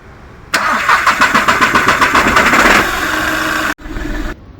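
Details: Diesel VW Polo: long uneven cranking about three and a half beats per second before catching to a rough idle with severe vibration; crank position sensor found caked with debris and replaced.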